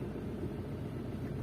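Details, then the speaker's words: Maruti Suzuki Swift Dzire after replacing a one-side-loaded engine mounting (foundation), which caused cabin vibration and a left-side noise after right turns: low, steady idle hum with no knocks, rattles or vibration; smooth, problem solved. "आतमध्ये कोणत्या प्रकारचा vibration feel होत नाहीये. आणि engine सुद्धा एकदम smooth वाटतोय."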